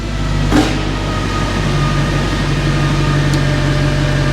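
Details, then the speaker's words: Mercedes C63 AMG V8, mic placed low by the car, near-cold start with some residual warmth: deep, even V8 rumble at steady idle with no misses or knocks; healthy idle. "How insanely good does that sound? Such a nice, like, you know, V8 little rumble to it."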